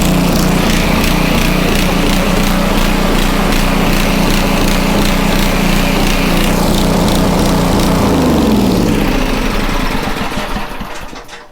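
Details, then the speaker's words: Homelite 2500 W generator with air filter cover refitted, choke tried: runs steady several seconds, then pitch sags and engine winds down and dies; surging and stalling from ongoing carburettor problems. "Still have carb problems. So, man, that's what happens."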